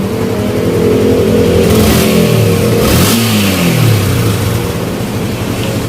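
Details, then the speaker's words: Yamaha Exciter motorcycle after engine repair (crank bearing, parts replaced, throttle return cable renewed, new header pipe, ECU box fitted); runs smoothly, revs up and down cleanly, quiet with no knocking or rattling. "มีระบบพิเศษมาจำก็ตอนนี้เครื่องก็เงียบคลิปนะครับ"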